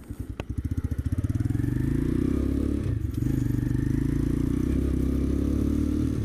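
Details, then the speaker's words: New Chinese X-PRO 125cc sportbike on first ride after carburetor screw adjustment: single-cylinder thump through the gears up to fourth with a loose clattery rattle and heavy vibration; noise seemed to come from the front, chain tension fine. "seems like it's a little happier now it's very vibrating it's vibrates a lot I keep hearing weird sounds"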